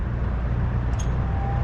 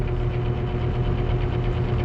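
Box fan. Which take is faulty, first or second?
second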